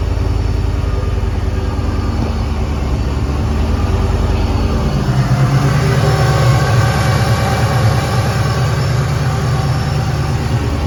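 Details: Supercharged 2001 Mustang Bullitt after idler pulley replacement: a steady, even low V8 rumble with no knocks or squeals, rising slightly as revs lift. Normal running.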